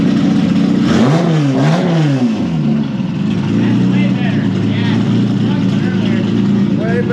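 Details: Turbo Honda VTEC car after vacuum-leak fix (cracked O-rings): revs blip up and down twice, then steady idle with no hiss or hunting; sounds healthy.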